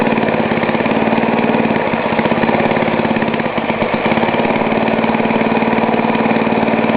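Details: Ariens snowblower, cold start by pull cord with choke at half throttle, after new fuel line and cutoff switch for a leaking carburetor: small single-cylinder engine running steady and even at fast idle, regular firing, no misses or knocks; healthy.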